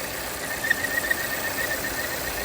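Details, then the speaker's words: 2017 Volvo XC60 at idle, with codes P0507 (idle rpm higher than expected) and P0171 (lean bank 1): thin steady whistle over an airy hiss that increases when the opening is covered; vacuum leak at the PCV/oil trap area. "Normal. When I close it, see that noise increase. Something leaking right here. I can feel it. Air leak."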